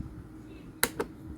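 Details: 16-inch standing fan, model AC 40HP, won't start: two sharp pops about a fifth of a second apart with no motor hum or spin-up; fan motor seized or failing to start.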